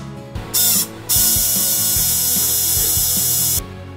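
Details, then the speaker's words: Canon 6D Mark II humming at power-on, shutter drive powered with the camera disassembled: a high, harsh mechanical buzz caused by gears worn, apparently from heavy load; fixed by replacing and lubricating them. "причина заключается в износе шестерёнок По всей видимости из-за сильной нагрузки поэтому заменим их"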